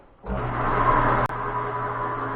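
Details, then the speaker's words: Rong RF30 column mill after teardown and re-greasing of the quill spindle bearings: the spindle spins up to a smooth, steady hum with no grinding or rumble, and the bearings sound healthy. "Sounds real good, don't it? Okay."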